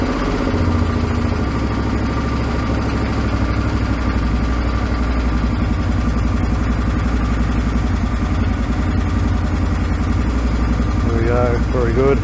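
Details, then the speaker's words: 2008 Suzuki V-Strom 650 first run after swap to a used engine of unknown history; steady, even V-twin idle, smooth low thrum with no knocks or misses: normal idle, some exhaust smoke noted. "it sounds pretty good I thought that might drop"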